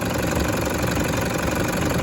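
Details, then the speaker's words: Diesel with 325K km secondhand engine, vehicle at 447K km, warm after drive: even steady idle clatter, no misses or heavy knock; injector feedback values good, injection volume about 8 to 9; engine healthy. "Feedback values on all the injectors. Beautiful as usual."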